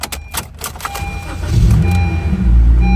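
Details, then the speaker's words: Honda Civic natural gas (CNG), 149,000 miles, earlier no-start traced to immobilizer, fixed with the correct key: brief starter whirr, then it catches at once and settles to a steady low idle. Normal start. "That was it. That was it. It's an immobilizer issue. Just needed the right key."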